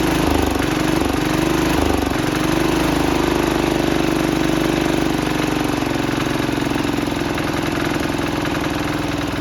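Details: 1968 Sears Suburban 12 single-cylinder diesel, first run after new intake and exhaust and fixing an air-sucking fuel line leak: harsh, very loud chatter with raspy drone; small open air filter and bare exhaust.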